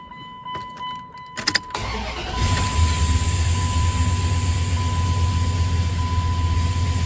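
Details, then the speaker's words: Gen 2 Dodge truck engine after distributor reinstall and initial setting, number 1 plug and wires back on, air cleaner still off: keys, short crank, then catches and settles into a steady, even idle with no misses. "We're gonna try and start it up here before we put the air cleaner and everything back on, and hopefully she starts."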